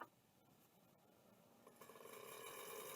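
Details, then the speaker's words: Miniscribe 3425 vintage hard drive powered on bench: faint ticks then a thin whirring buzz building as it spins up, no normal seeking; stuck head stepper motor. "that's not a great [Music] sound stuck stepper"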